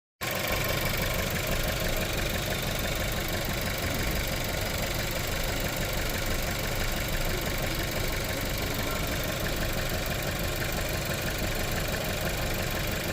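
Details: VW Tiguan that shakes and won't build revs: uneven, shaky idle with an irregular stumbling beat, a misfire fixed by replacing the worn spark plugs; new coil also fitted.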